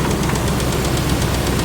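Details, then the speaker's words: 2006 Dodge Ram 1500 5.7 Hemi V8 idling: ticking at startup, then a quick, even knocking tap on one side from worn lifters rubbing the camshaft, clogged after long running without oil pressure. "Hear that knocking on this side? So the lifter on this side it's wore out. The bearings in it is wore out."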